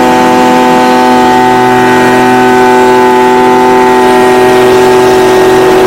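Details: Stihl BG55 two-stroke leaf blower, previously no-start from a torn carburetor diaphragm, running on a new replacement carburetor: steady high-pitched buzz at even pitch, no hunting or stumbling; normal running.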